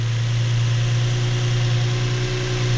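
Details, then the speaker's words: Infiniti G35 just out of limp mode: smooth, even low idle with a steady hum and no surging, no check engine light, normal idle; valve covers leaking oil with a plug soaked in oil. "she is purring purring like a kitten check engine light nothing"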